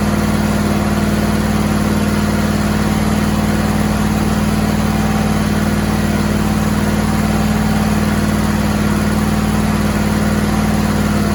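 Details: Suzuki outboard "Frankenstein" build with muffler fitted and exhaust bolt holes plugged: smooth, regular idle, constant low drone, no puffing or ticking from an exhaust leak; much quieter, normal idle.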